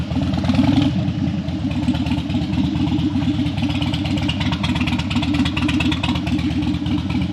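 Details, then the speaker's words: Harley Dyna that died when hot and wouldn't crank hot, warmed up on a test ride after a suspected battery fix: even, loping V-twin beat holding steady for several seconds, no misses or dying. Healthy running. "the next goal is to actually take her for a ride but she's still running I haven't had that much success in a while"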